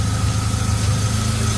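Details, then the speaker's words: BMW E36 with oil filter housing seal leak: low, steady idle rumble, even beat, no misses or knocks; runs very smooth though seal still needs replacing. "At least it's running very smooth. And it'll do."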